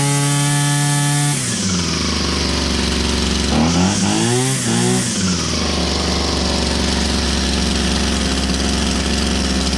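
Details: Old Husqvarna 22R strimmer started on choke, still needing carb tuning: fires and settles into an even buzz with clean throttle blips, pulling smoothly without misses. Now fully runs.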